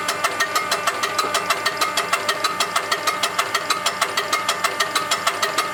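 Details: Diesel engine with a UTN-4 injection pump, tested after pump repair and adjustment. Even, steady clatter at a fixed idle with crisp, regular injector ticks and no misses or knocks; running healthy.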